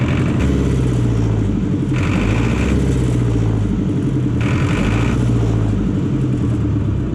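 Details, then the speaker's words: John Deere 1010 crawler dozer diesel, sat in a barn about 12 years; after bleeding injectors by cracking the lines it runs with a deep, even chug at idle, no misses or knocks; fixed and running. "well there it is i mean it's fixed up and running"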